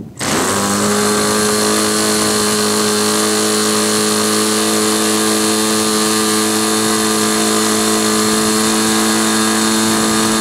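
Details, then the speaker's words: Glow engine on SIG Kadet LT-40 during break-in: loud steady high-pitched buzz, no misses but little crispness; owner later realized it was running too rich. "I sat and thought about it a little and um realized that uh what was going on um was it was too rich"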